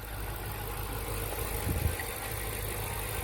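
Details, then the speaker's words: 39k-mile Dodge Charger SRT8 started for the first time in over 2 years after a no-crank/no-start, run on starting fluid. Quiet, steady idle with an even low rumble and no rod knock; engine has compression and sounds healthy. ">> Now that we got it running, we actually hear the motor runs. It's healthy. It's not a, you know, rod knocking or, you know, just no compression and never gonna fire in its life."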